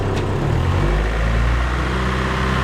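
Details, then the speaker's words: Mazda MX3 automatic after torque converter replacement, earlier whine traced to belts and slapping to motor mounts, shifted into drive: steady low hum with no slapping or thumping as load comes on; normal running in drive. "Now, the true test when we put it in drive. Oh, no more noise! High five right there!"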